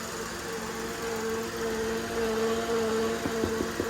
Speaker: um and you can hear like a whining